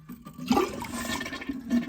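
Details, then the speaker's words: Toilet tank flush before flapper valve repair (running toilet from gap between flapper and opening); sudden rush of one to two gallons into the bowl, siphoning and swirling away cleanly; ordinary, healthy flush. "and the one to two gallons of water goes down into the toilet creating the siphon effect and then it flushes it down into your P-trap case in point this toilet just flushed"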